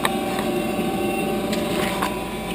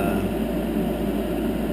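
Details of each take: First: 10-year-old Heil gas furnace draft inducer motor running before replacement; a constant high, thin whine at one pitch over the blower hum with a few knocks, audible upstairs, from a worn inducer motor bearing. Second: 10-year-old Heil gas furnace after replacing the noisy draft inducer motor with a new one: steady, even low hum, no rattle, scrape or bearing whine, much quieter; normal inducer operation.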